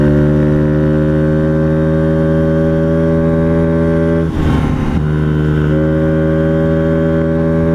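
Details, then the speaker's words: Honda Ruckus scooter after tuning and fitting a wider Gates belt: it holds a high, flat drone without gaining speed. The CVT slider guides were fitted backwards, so the variator won't shift. "it yeah I'm going to blow up it's not working something's not sliding something's not moving correctly"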